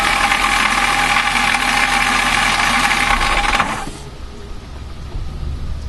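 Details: BMW M3 engine running with a harsh rattling grind over it that cuts out, leaving a quiet idle; cause found to be a broken starter motor dog gear bearing.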